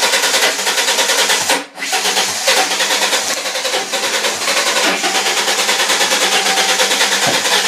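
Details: 2000 Ford Mustang 3.8 V6, new battery, new plugs and wires: steady starter churn about three beats a second, no catch, cranks but won't start; plug black and fuel-wet, occasional sputter, no codes, fuel pump heard running, cause unconfirmed.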